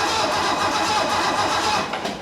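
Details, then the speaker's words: Donor 1969 Mercedes being evaluated, first crank attempt with a new starter cable setup, spark plug wires not yet attached: short burst of fast, even cranking with strong steady spin, no dragging or clicking; normal cranking. "That's so much better. That is so much better."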